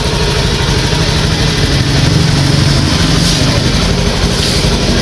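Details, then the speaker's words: Honda Beat ESP injected scooter after fuel pump and dirty fuel filter replacement, reassembled: throttle blips pick up cleanly and very responsively, no stumble; normal throttle response after repair. "jadi untuk gasnya ikut sangat responsif ya ini masih sangat enak ya"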